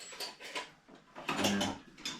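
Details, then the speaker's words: 1975 Schwinn Suburban 5-speed: dry, gritty grinding in rough bursts with each spin of the crank before teardown; the restorer knows by the sound that the worn bottom bracket cones very likely won't be reused and will be replaced with new bearings and grease. "Very good chance those cones are not going to be reused again. I just know the sound."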